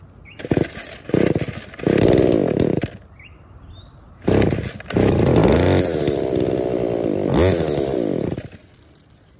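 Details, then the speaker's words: Trash-picked small two-stroke with a holed primer purge bulb: short bursts of high screaming revs that surge and cut out between pulls; it runs lean, and the purge bulb is considered a possible but doubtful cause. "leanness could either be just that Purge which I don't think it technically it should be sealed"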